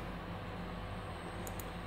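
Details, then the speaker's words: Dell Latitude CPx-H500GT laptop optical drive spinning while a game loads: quiet steady low buzz under faint hiss; normal optical drive reading noise. "Sorry about the buzzing, this is the sound of the optical drive."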